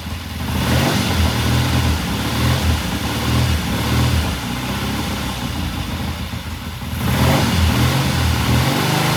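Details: 1969 Triumph TR6 vintage British motorcycle, pilot jet cleaned and pilot air screw turned in half a turn for a richer starting circuit; after a cold start the twin settles into a steady, even idle burble with slight rise and fall, no misses or popping: normal idle.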